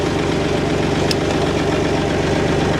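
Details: Perkins diesel started with a jump starter after it had been clicking and not starting: steady, even chug with a low, regular beat and no knocks or misses; idling cleanly just after start.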